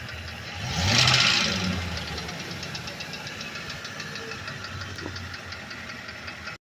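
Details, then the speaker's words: Ford Econoline E350 5.4 engine: a fast, light ticking heard from underneath as revs rise, little or none at idle without throttle. The transmission was checked and the noise is unchanged; the cause is unknown and the owner can't find it. "piden todo aquí abajo se oye el ruido así que comenta amigos a alguien le ha pasado la verdad yo no encuentro por qué"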